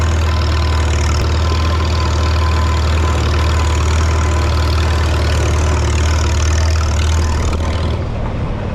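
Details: 1952 Farmall Super C tractor after distributor work (rotor prong bent up; owner unsure if stuck mechanical advance caused the miss): steady, even low thrum with unchanging beat, no misses or knocks, running smoothly.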